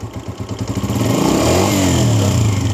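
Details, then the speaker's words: 2022 Honda CG125 with magnet case removed, revving: a light, rapid clatter rises with throttle as the cam spins faster; noise caused by a vibrating cam pin. "जब accelerator देते हैं केम speed से move करती है तो उस time इसकी vibration खत्म हो जाती है लेकिन इसकी साउंड शुरू हो जाती है आवाज शुरू हो जाती है"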